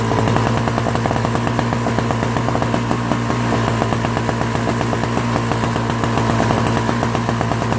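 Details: Old Craftsman 5HP Tecumseh snowblower engine after carburetor cleaning and leaking float replacement, pull-started: fast, even, steady firing beat, no stumbling or surging; normal running.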